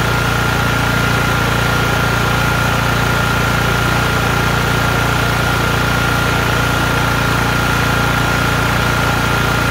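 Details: LT1040 lawn tractor after valve cover gasket repair with original gasket and silicone, which stopped white smoke from the front; smooth even idle, steady low hum, regular beat, no ticking or stumbling, air compressor nearby — normal idle.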